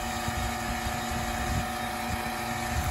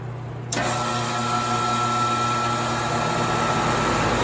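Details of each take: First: Home AC outdoor unit: compressor hums and runs, but no condenser fan whoosh; failed run capacitor, so the condenser fan won't start. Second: Home AC outdoor unit with a bad capacitor that stopped the condenser fan, temporarily jump-started by spinning it with a box fan: the unit kicks on with a thump, then a steady hum and fan whoosh, running normally.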